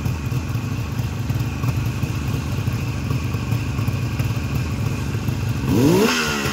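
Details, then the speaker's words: 1973 Suzuki GT550 two-stroke triple, cold and just kick-started with choke off: it idles low but holds steady with an even burble, then rises cleanly on a throttle blip; runs smoothly. "here I love that sound Suzukis were a little bit quieter I think than the uh the Kawasaki two strokes and probably the Yamaha"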